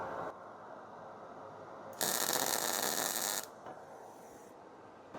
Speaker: So, you hear the spitting. So, when it sounds like it's spitting, I've got too much wire speed.